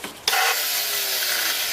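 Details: Used Yamaha Neos scooter engine with faulty electric starter and kick start: a sharp clack, then a steady gritty high whirr with no firing; starter mechanism noise, cause unclear.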